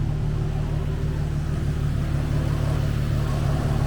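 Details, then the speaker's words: Nissan 350Z HR after gallery gasket replacement for low oil pressure, fully warm after a drive: deep steady idle with radiator fans kicking in over it; oil pressure normal, about 15 when really warm. "You can hear the fans kicking in just now."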